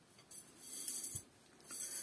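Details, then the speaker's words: Home brewery frame (Khmelnitsa, 37 L) shaken by hand: faint tinny rattling in two short bursts as leftover rivet debris rolls inside the hollow frame tubes; loose debris rattle, harmless. "Здесь эти трубки полые, и внутри болтыхаются остатки вот этих вот"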